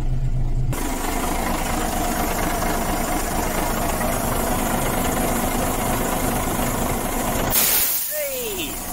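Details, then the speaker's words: Volvo B10M diesel running after Bendix AD-2 air dryer rebuild; near the end a sharp hiss as the dryer unloads and purges, blowing debris out of it; repaired dryer works as it should. "There you go. Oh, that's just blown all the shit that was on the floor out of it."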